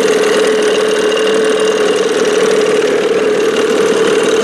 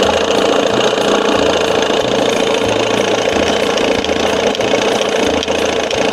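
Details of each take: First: 1987 Johnson 6 hp outboard running fast: hard, raspy buzz with a sharp whistle, very loud like a racing engine. Earlier, with the bigger jet, it was so loud it seemed to need a silencer. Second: 1987 Johnson 6 hp two-stroke outboard back to normal after fitting a smaller jet, mixture screw out 1.5 turns, timing near -8: steady, even buzz at idle with no misses, surges or stumbles; sounds good, normal idle.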